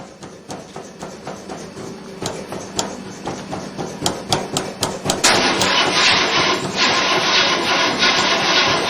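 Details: 1968 Chevy Impala with pedal pumping: starter turns slowly at about four beats a second without catching and cranks until the battery is drained; owner unsure whether the battery is weak or the starter is bad.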